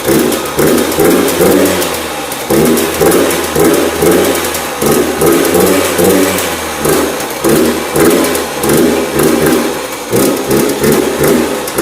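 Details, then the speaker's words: Yamaha YZ85 two-stroke after top-end and water pump rebuild, choked cold start: blips but bogs, won't rev, muffled and wet as if water in the pipe; running rich, later found to be a plugged exhaust. "it kind of doesn't want to rev up and it sounds like almost sounds like there's water inside the pipe"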